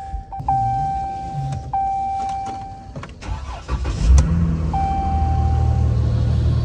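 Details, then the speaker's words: Salvage 3.6 L V6 pickup at a Copart yard, 118,000 miles, front-end damage, no check-engine light: dash chimes, brief crank, quick catch, settles into smooth, steady idle; normal healthy start. "sounds very healthy V6 but 3.6 L it's not bad good on gas"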